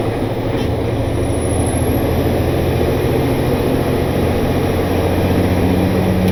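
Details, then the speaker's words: Diesel truck back from the shop after a loose rocker arm that slapped was fixed, lugging under load with the Jake brake used: low, even drone with no tapping or misfire, not overheating, running smoothly. "seems to be doing just fine it's not getting hot it's running smooth so hopefully that means it is ready to go back to work"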